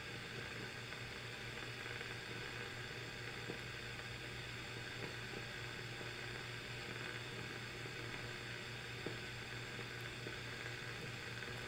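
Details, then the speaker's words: Swedish Centrum Transista Automatic radio on external power supply, FM working, indoor antenna; on AM/shortwave only a steady even hiss over a low hum, no stations or interference: no AM reception; cause not yet known. "i've got to say i'm not hearing anything that sounds like you know we should hear some interference right from all the electronics around here that would be tunable and i don't think that there's it doesn't sound to me like it's doing anything"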